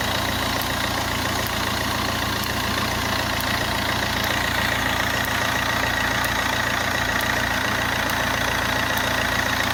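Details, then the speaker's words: Fiat Grande Punto petrol engine idling with sharp, thin snaps about once a second, the customer's "chas chas" noise; static electricity builds on the accessory belt and discharges through the pulley into the engine. "Pues que se está generando mucha electricidad estática en la correa y además la está derivando a través de la polea por el motor"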